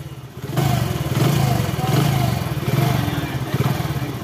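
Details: Hero HF Deluxe / Passion Pro single-cylinder motorcycle after timing chain replacement: thump rises and falls with light blips, no chain rattle or clatter; engine sounds quiet and healthy.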